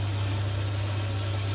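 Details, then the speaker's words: Potterton Promax Combi 28 HE boiler after expansion vessel replacement and repressurising: steady low hum with a soft even rush, no popping or surging; burner fires cleanly, gas supply error gone, pressure holding just over 1 bar. "okay we've got no gas fired up yet I just pressurize the system that's going to drop a bit expect you know oh my god she's fired up"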